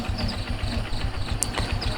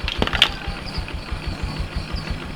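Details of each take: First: Jupiter MX New carburetor after service, idle screw just turned down so idle neither stalls nor runs too fast; small single thumping at an even, fairly quick idle rhythm with no hunting or misses. Normal idle, carb set right. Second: Yamaha Jupiter MX carbureted single-cylinder after carburetor service and refitting, before idle and air-screw adjustment: uneven, lumpy idle with slight stumble.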